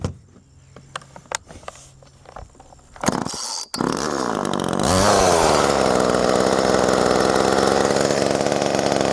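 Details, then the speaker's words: Old Homelite Super 2 two-stroke chainsaw, rarely run, so owner says the carburetor never softens up: after handling clicks it fires and runs loud and raspy with uneven rhythm and wavering speed; rough running. "Like all my old saws, it don't run real good because don't run it enough to let the carburetor soften up."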